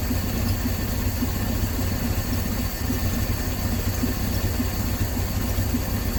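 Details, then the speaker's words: 1968 Dodge C600 shop truck, unrun nearly a year, idling with a vacuum line left unattached on the back of the carburetor while setting rpm and timing: low, uneven, lumpy idle that never settles; rough running from the open vacuum line. "and I forgot just now I just forgot I've got a vacuum line unattached on the back of the carburetor there"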